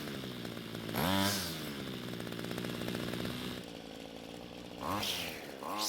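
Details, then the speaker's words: Homelite trimmer that wouldn't start, after carburetor L screw turned out to stop bogging on quick throttle: steady idle with crisp, clean rev blips rising and falling without hesitation; running normally after carb adjustment. "so the good news is that it started and ran but the bad news was that it needed a carb adjustment to get it running better now luckily it responded to the adjustments well and now it's running just the way we wanted to"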